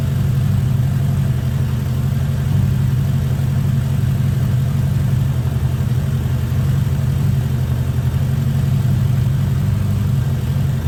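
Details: 1979 Honda GL1000 Gold Wing flat-four after valve seal replacement to cure excessive smoking; steady, even low idle with no misses, knocks or ticks; running smoothly, normal idle.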